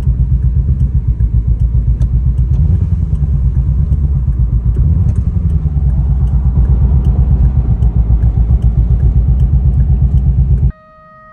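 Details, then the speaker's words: C6 Corvette V8 idling rough and sputtering with irregular stumbles and dropouts in limp mode ("reduced engine power"). It happened on the first drive after lowering the car, with the check engine light on and the odometer dead. It won't restart once shut off. Wiring fault suspected, cause unconfirmed. "So, if you're ever driving your Corvette and this issue happens to where it says reduce engine power, the car sounds like it's misfiring, you turn it off, it's not going to want to start back up."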